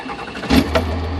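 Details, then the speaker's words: 1997 Cummins 12-valve diesel: brief start-up catch, then low, steady idle rumble with no knocks or misses; sounds normal at idle without load. "You can hear it sounds kind of normal."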